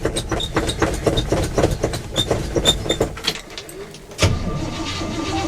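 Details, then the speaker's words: Old car, sub-zero winter cold, pedal-pumped: sluggish uneven cranking, then engine catches and settles; slow cold cranking but starts. "sounds like stirring pudding it started right up Mater's a good old boy he starts up most of the time"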